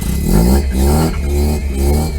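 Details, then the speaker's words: 1979 Mazda RX-7 rotary, cold start at about 40°F after an electronic ignition conversion, ballast resistor fix and carburetor accelerator pump repair. Smooth, even revving with no stumbles or popping; it has never run this smooth. "i do know it runs but just listen to this it is so much smoother than it ever has been now this is a cold start it's like 40 degrees outside"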